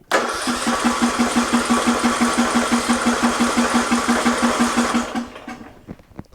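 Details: Murray Select riding mower, 13.5 hp Briggs & Stratton, after new starter solenoid: steady cranking about three compressions a second for five seconds, never fires; later runs with choke held shut, surging idle, carburetor being replaced.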